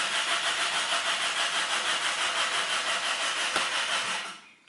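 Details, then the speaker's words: Car that won't start, retried after fitting new spark plugs: starter whirs with quick even pulses, about three a second, rotating the engine, but it never catches or fires; still cranks, no start. "And now no any starting. Engine, no any engine runs. Only starter runs and rotates this engine."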